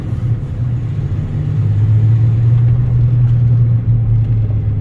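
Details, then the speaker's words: 1997 Ford F-250 HD 7.5L 4x4 while driving: steady low droning rumble from underneath with no knocks or squeal; mechanic suspects a front hub bearing/hub assembly or front differential pinion bearing, not confirmed. "yeah it sounds like a front i don't know if it's front differential or if that's like a hub bearing hub assembly here"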